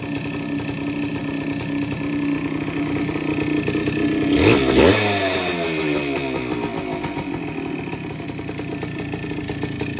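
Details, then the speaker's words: Cold-started Yamaha DT100 two-stroke with oil injection (separate oil tank), original parts, new carburetor and fuel tap; choke used, starts first kick; crackle settles to a steady, even, clean idle with no rattles, a normal healthy two-stroke idle. "เครื่องเงียบๆนะครับผมเครื่องแรงๆเลยเข็มไมค์ขึ้นปกตินะครับผมอรoof2Tใช้งานถังแยกนะครับ"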